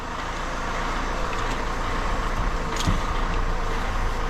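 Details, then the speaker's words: Fiat Doblo 1.6 Multijet after an oil and filter service, checked for a previously noisy front top mount: even road and engine drone with one soft bump and no clunk or knock; the noise has gone, and both top mounts will be replaced if it returns. "So, the noise is gone. We're just going to have to see how it goes."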